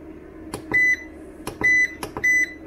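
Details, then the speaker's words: Vevor 5500W (EM 5500-48L) 48V inverter, charging its battery at about 1 kW from solar: short high electronic beeps, about three in under three seconds, over room hum; the alarm buzzer, later muted, cause not given. "lenémítom hogy többet ez ne szólaljon meg nekünk mert hallottuk a hangját nagyon szép egyébként és nem is annyira idegesítő ahhoz képest"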